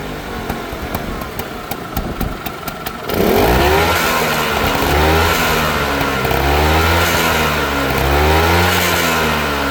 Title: Vespa ss180 piston slap rattle